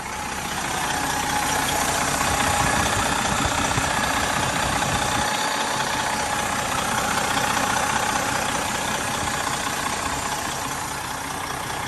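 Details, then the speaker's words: Freightliner FLD diesel truck at idle won't build air pressure, and the low-air buzzer won't even go off. Constant hiss of escaping air, louder on one side. Owner suspected fan clutch or air governor, then was advised to check the air dryer. Air dryer stuck open. "It doesn't want to build air pressure. Alright guys, so I can't really pinpoint the air leak."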